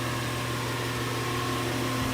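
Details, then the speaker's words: 2-ton 2016 Rheem Classic condenser at startup: steady loud whooshing roar with hum underneath, louder than before; owner suspects the fan motor is failing, suction line barely cold. "As you can hear, it's pretty loud now. The motor's gotten louder, which I think it's failing now. The motor is starting to fail on it."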